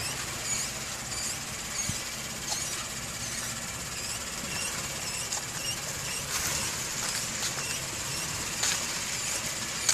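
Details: 2014 Acura MDX, about 6 months old with 7,500 miles: a thin, high-pitched steady squeal while braking, coming from the front wheels.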